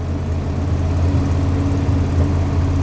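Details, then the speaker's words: Old dually truck V8, Carolina cold start at about 50°F, squeaky belt: deep uneven idle rumble that stumbles now and then; slight misfire, smokes a little and burns oil, tired engine needing replacement. "she's missing a little bit his smokes a little bit burns oil she's tired"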